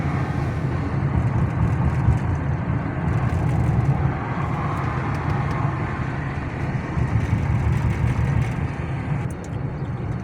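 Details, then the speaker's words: 2007 Chrysler 300C driving on broken road after front and rear shock absorbers, bushings, spark plugs and coils (cylinder 2 misfire P0302) were replaced: steady road and tire rumble, no clunks or knocks; suspension quiet. "الحمد لله رب العالمين ما في اي اصوات والسياره 100% صفيناها بشكل ممتاز الحمد لله ماشيه السياره وما فيها اي مشاكل نحن ماشيين ما في اصوات"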